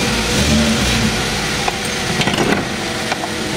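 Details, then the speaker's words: 2014 Hyundai Accent automatic, just started after bleeding: steady smooth even running with no knock or misfire, a few light handling clicks nearby; normal running. "Ah ito normal to mag-harting gawa nung puro hangin pa. Ayun umandar na."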